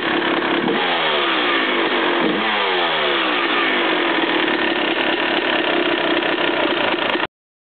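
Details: Suzuki RM250 two-stroke revving up and down: rattly metallic clatter riding on top; owner unsure whether piston slap or rod knock, unconfirmed.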